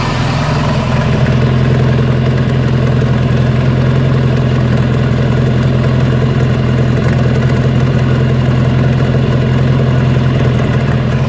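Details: 1985 Bayliner Trophy, out of the water at least 3 years, now running after a lot of work: a steady, deep, even rumble with no misses or stumbles.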